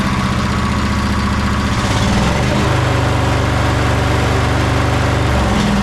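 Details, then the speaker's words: Sabre by John Deere twin lawn tractor, bought broken after sitting: lumpy, loping idle with an uneven low beat. The right cylinder is dead (spark present, plug cold). "I wonder if it's only running on one cylinder. Let's try that again. Yeah, this uh this right one isn't firing."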